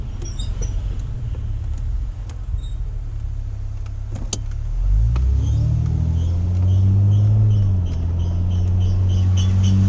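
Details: 2009 Acura TL SH-AWD just fitted with StopTech drilled and slotted rotors and Posi-Quiet pads, still squealing: faint high-pitched brake squeal over heavy road and engine rumble as the car slows. Finding: brake squeal.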